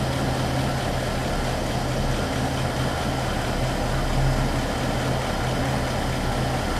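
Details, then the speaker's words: 1960 Pontiac barn-find V8, low miles, idling with Pertronix electronic ignition and Flame Thrower coil, vacuum advance disconnected, timing checked and almost right on the money: smooth, even steady low rumble, no knocks or misses; normal idle. "It's running without a vacuum advance right now."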